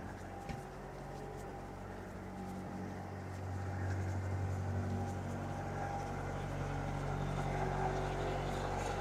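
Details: Diesel, unrun for a while, in forward gear at 1500 rpm while warming, oil pressure just over 50, alternator charging: steady low drone settling into an even, unchanging beat with no knocking or misfire. Normal running.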